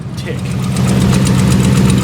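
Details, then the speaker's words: 2013 Dodge Ram with 3-inch lift, big tires and aftermarket exhaust, cold start after sitting a couple of days: idle with a crisp steady tick about seven per second; known Dodge tick, cause not diagnosed. "it's got the nice Infamous uh Dodge tick can't be a Dodge without that tick"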